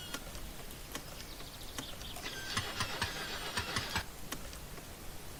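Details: Car starter churns in uneven bursts with faint clicks, but the engine never fires; it cranks without starting.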